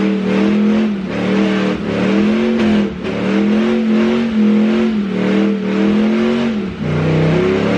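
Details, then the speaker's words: Duramax diesel truck with the automatic transmission taken from the owner's poor brown truck: revs rise and sag in waves under load without the truck picking up, a slipping transmission that needs replacing. "But here, this is why the transmission's not good."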